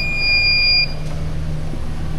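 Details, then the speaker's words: Battery, fully charged at just over 12 V, held under a 300-amp load at about 11 V. A steady high beep sounds for about a second, the load tester's time-limit warning. "This one right here, we're holding just over or just under 11 volts. There's my taking too long alarm. Give it some more juice. We're still holding."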